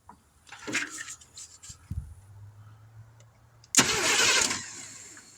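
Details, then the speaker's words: 1971 Chevrolet C10 engine after sitting for decades, battery and remote starter switch wired to the suspected starter solenoid, ground clipped to the exhaust, no distributor fitted: a few clicks, then about a second of steady, even cranking with no binding. The engine turns over freely. "Oh, yeah. Wow, we did something right."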